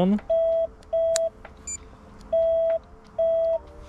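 Four clean mid-pitched electronic beeps, each about a third of a second with short gaps, over a quiet room: the horn sounds normally.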